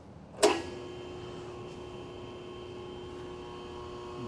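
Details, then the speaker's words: New Baldor 12-inch pedestal grinder, 2 hp 3-phase, model 1215W, mounted on its pedestal: switches on with a thump, then a steady, smooth hum with no wobble, rubbing or rattle; nice and quiet, normal running. "Nice and quiet, nice and smooth. That's it."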